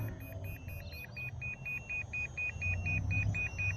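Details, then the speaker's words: Volantex RC P-51D Mustang mini plane on a one-cell battery, in flight: rapid steady high beeps about four a second over wind rumble, the plane's own low-voltage cutoff warning that the battery is spent. "The plane's actually beeping. Listen to this. It's got its own LVC warning beeper as well."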